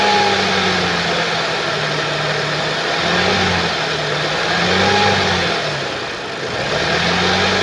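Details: 2013 Audi S4 B8, 3.0 petrol CGWC, 245 kW, 188,866 km: idle hunts up and down with rough wavering drone and rattly undertone; timing chain has jumped teeth.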